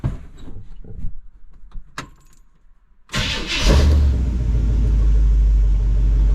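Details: 1952 Oldsmobile engine started cold to warm up and check thermostat opening: catches almost instantly into a strong steady low rumble; good healthy start.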